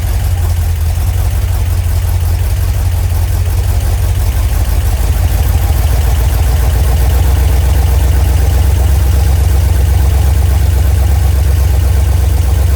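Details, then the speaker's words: Freshly rebuilt 1990 Mopar 318 V8 (D150 truck) with new Rock Auto parts, mild Comp custom cam, Air-Gap intake, first run, at about 175° operating temperature, timing 15° at idle, 33° total: deep smooth even idle, no ticks or misses; normal idle. "It's 15 at idle. I got it on 33 total right now. baby cam. Smooth as butter."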